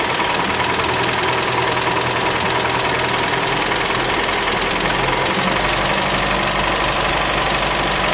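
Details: Idling car engine with a quick, light ticking of about three per second over its hum; source of the tick is not identified.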